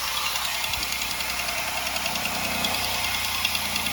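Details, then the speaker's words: 2005 Buick LeSabre 3800 first start after cylinder head job (new head gasket, belt), coolant bleeder open: steady idle with quick sharp ticking and hissy edge; small exhaust leak, location unknown; exhaust leak. "All right, listen to that. We got a little We got a little exhaust leak somewhere."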